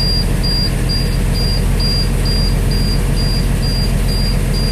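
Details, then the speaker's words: International 4900 with DT466 diesel after replacing a bad air pressure sensor: steady high beeps, three or four a second, over the diesel idle while air builds; low air pressure warning, expected to clear a little over 60 psi. "there's an air pressure gauge over there you can see it's building on up so that uh that light beeping should go out when it gets a little over 60 there"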